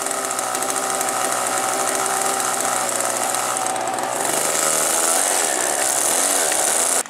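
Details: Model aircraft glow engine, possibly Duane's Aero-star .40 (Super Tiger or Thunder Tiger, unsure), earlier dying lean until a new glow plug: a high screaming buzz that holds steady, climbs with revs, then cuts off sharply. Healthy running.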